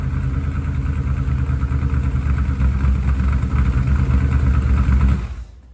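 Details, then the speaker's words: 1967 Shelby GT500 Mustang (real or clone) after adjustment, plugs still sooty from the old setting: throaty V8 that stumbles and pulses unevenly; sounds better but not right, owner suspects the plugs; rough running from fouled spark plugs. "now keep in mind it's not going to sound quite right because guarantee you every one of the plugs is just covered and soot from the way it was adjusted"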